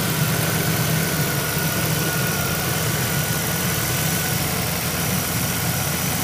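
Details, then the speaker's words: 2001 Monte Carlo SS 3.8L 3800 Series II, about 314,159 miles, idling after intake manifold and valve cover gasket replacement and new thermostat: steady even idle, soft constant hum, no ticking, knocking or stumble; sounds good. "so it looks like this one's a wrap it's good sounds good"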